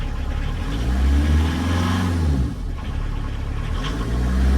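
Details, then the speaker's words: VW Caddy pickup 1.9 diesel, just jump-started on a weak battery; low even diesel clatter settling into steady idle with slight rev rise and fall, no smoke. Normal diesel running. "Yep, it sounds like a diesel. No smoke. Rust, but no smoke."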